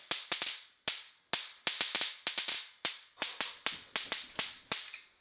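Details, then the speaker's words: Home-built DIY taser firing: sharp, loud, crisp snaps in quick irregular bursts, each crack dying off fast; spark gap arcing strongly as it should, described as terrifyingly loud, normal high-voltage arcing. "It's a lot scarier than it actually like hurts because this is fucking terrifying. This is so fucking loud. This is so loud."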